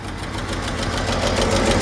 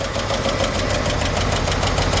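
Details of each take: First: 1953 Chevrolet 5-window pickup, six-cylinder idling: sharp, rapid puffing tick where the exhaust pipe meets the manifold from a blown donut gasket, air felt escaping; fix is tightening or usually replacing the donut; solid lifters also click. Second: 1953 Chevrolet 5-window pickup, old inline-six converted to 12-volt, with a blown exhaust manifold donut: steady idle with fast, even valvetrain clatter, the normal clicking of solid lifters.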